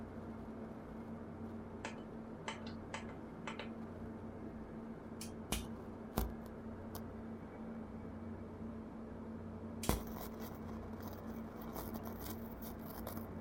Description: Audiolab 8200A left channel strange noise